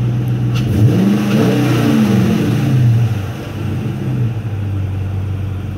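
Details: 2016 Dodge Charger R/T V8, 13k miles, with settled-in Gibson exhaust, drive-by: deep hollow rumble climbing sharply on the rev and dropping back smoothly, nothing amiss; normal V8 exhaust note.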